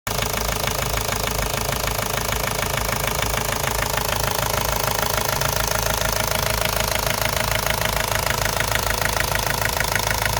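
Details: Ford Focus Mk1 1.8 TDDi diesel at idle: sharp regular knock, roughly 200 a minute, hammering evenly throughout; a clear internal engine knock, later solved.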